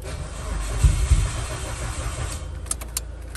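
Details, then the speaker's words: Car in cold Georgia weather, new spark plugs fitted, jump-starting with cables: sluggish uneven cranking about four turns a second that never fires; slow crank, no start, owner suspects a poor cable connection. "it's trying come on girl come on i feel like it's not a good connection because the engine in turn is quick"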